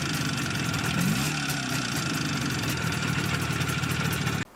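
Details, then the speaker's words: Izh Jupiter 5 two-stroke twin with a balanced crank and factory pistons: a metallic ringing from the cylinders appeared after 100 km over the exhaust note. Factory pistons measured with taper beyond repair size. Piston slap. "так как через сто километров пробега из поршневой раздался пренеприятнейший звон который присущ практически все мы же и раком в достаточно большим пробегом напомню как это звучало"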